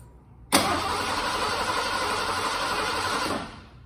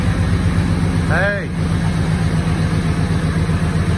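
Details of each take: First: 1986 Ford F-150, fuel-injected, sat 15 years, new in-tank fuel pump fitted, fresh fuel and Sea Foam: about three seconds of steady cranking, no firing; crank no start, no fuel getting past the high-pressure pump, replacement pump obtained. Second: 1986 Ford F-150 V8, first start after 15 years sitting, new fuel pump, old gas: low rhythmic rumble at steady idle through small exhaust pipes, no tapping or stumbling; oil pressure up; normal idle.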